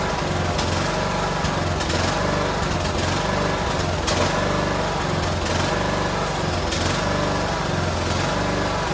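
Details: Cub Cadet LTX1040 riding mower's single-cylinder engine on a test run after the carburetor gasket leak at the fuel solenoid was fixed; a steady buzz at constant speed with only a faint regular surge, so it runs smoothly.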